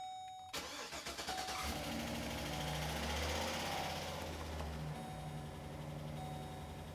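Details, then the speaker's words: LS V8 first start after timing chain replacement with about 6.5 quarts of fresh oil: brief crank, flare to fast idle, then smooth idle. Oil pressure is over 40 psi at idle (under 30 before), and the initial tick is gone. "It's doing a lot better. It's already got oil pressure. We're over 40 pounds at idle now. Before it didn't get 30 pounds going down the freeway. It's a good start. You can see that the ticking already went away. Sounds good."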